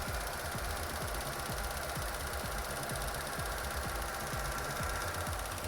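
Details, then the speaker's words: 2016 Chevy Cruze 1.4L with P0496 EVAP code: quiet idle with sharp regular clicks about twice a second from the engine area, first suspected injectors; faulty canister purge valve, fixed by replacement. "so now you can hear this clicking noise coming out of this area somewhere so first of all I was thinking about injectors which is located down here"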